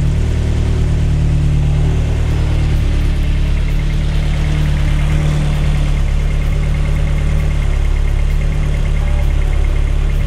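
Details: Ford Focus RS restarted after engine work, fuel pump primed first: deep steady rumble, even with no misses or knocks; idles smoothly, light smoke.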